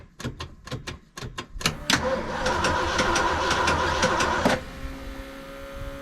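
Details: 1974 Ford F100 4x4 with 390FE big block and electric fuel pump: starter grinds, engine catches and runs lumpy with a burble and stumble, then a ragged idle; misfire, owner swapping in an original spark module.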